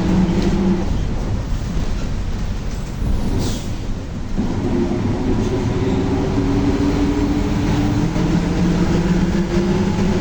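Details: Torino S bus, Volkswagen 17-230 OD Euro V chassis, while driving: a droning whine holding near one pitch under steady road rumble, from a worn rear differential that is howling loudly.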